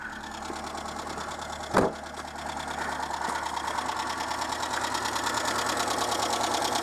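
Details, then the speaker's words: Renault Super 5 petrol just after a head gasket replacement, with valve clearances not readjusted, idling: a light, fast tick that seems to come from only one noisy rocker. The owner may adjust the rockers soon. "je sais pas si vous l'entendez le le petit buteur il y en a qu'un seul qui fait du bruit il me semble"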